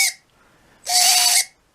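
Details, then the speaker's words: Red Cat 550 brushed RC motor, out of the truck and run on the speed controller, screeches sharply when letting off or at certain throttle points; likely needs lubrication at the motor ends and cleaning. "now when I run it makes this horrible squealing noise for a while I couldn't quite figure out why they were doing"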